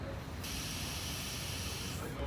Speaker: air is still escaping through the solenoid and that tells me that stuck in the open position